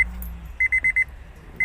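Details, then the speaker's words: Honda Amaze, door opened with key in after instrument cluster fix, chime previously silent: clear high electronic beep repeating in quick even bursts of about five, then again; normal door-open key-in warning chime. "आपकी beep भी सुनाई दे रही है। और ये beep नहीं आ रही थी"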